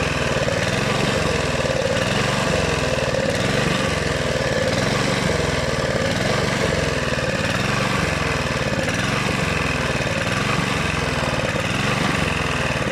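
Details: Honda GV150 engine just rebuilt, transmission not yet fitted: loose, irregular rise and fall in the beat instead of a steady note; owner suspects choke, ignition or coil, unchanged spark plug, or fuel filter.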